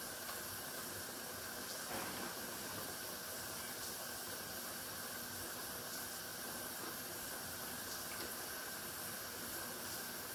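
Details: Pressure canner processing tomato sauce, heating before the regulator rocks: constant soft hiss/whistle of steam escaping, no rocking yet; pressure building normally.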